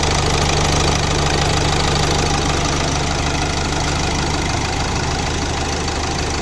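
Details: 2018 Hyundai Accent 1.6 CRDi diesel idling after repair for No. 2 piston misfire and knocking: steady light clatter, even beat, no missing or heavy knock.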